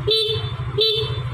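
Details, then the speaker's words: Fuel-injected motorcycle that had a lit warning light, stuttering throttle and no idle, fixed by replacing the battery: two short, loud, clear horn blasts over the running engine, horn loud again; normal horn. "hihihi klaksonnya bagus udah bagus kembali sudah keras kembali suaranya"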